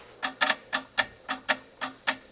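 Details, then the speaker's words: Mini projector headlight after swapping the connector wires: triggering the former low-beam pin, now redirected to high beam, gives crisp sharp clicks about three to four per second on a quiet bench, so the shutter solenoid actuates properly. "now been redirected to the high beam thank you so you hear the the shutter clicking out"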